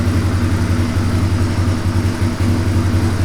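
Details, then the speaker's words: 1997 Suzuki DR350 single-cylinder, choke off, holding a slow, even thump about four beats a second with no misses or pops after earlier unsteady idle and backfiring, suspected electrical ignition-timing fault; normal low idle. "that's a nice idle you think that sounds good it just seems so low so slow"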